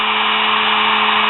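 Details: Sewing machine motor after its brushes were cleaned and fixed, left running: smooth, constant mid-pitched hum with no speed dips, rattles or scraping. After running a while the brushes seated better and sparked less. Motor running normally.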